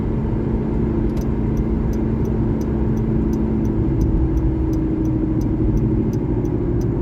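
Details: 2012 Honda Civic LX sedan driving at constant speed; steady low rumble with faint droning tone under road noise; owner suspects bad driver-side front wheel bearing.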